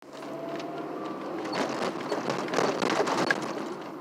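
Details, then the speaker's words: Ford ZX2 brake noise only under somewhat hard braking: a rough, uneven scraping with faint squealing tones. The cause is unknown. "What the hell is that? Do you guys hear that? I'm trying to figure out what that is. It's only when I brake somewhat hard"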